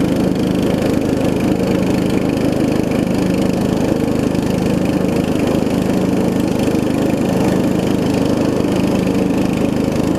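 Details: Murray widebody riding mower with 16.5 hp Briggs single-cylinder engine, after new carb, fuel lines and valve adjustment: steady, even putter at fast idle, no misses or knocks, a little loud from a small exhaust leak; runs and drives great.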